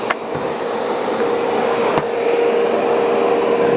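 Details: Bissell PowerForce Turbo vacuum with burnt-off brush bar belt, dusty canister: strong steady rushing whoosh with even motor whine and brief pickup clicks while picking up grass through the hose. Hose suction works normally.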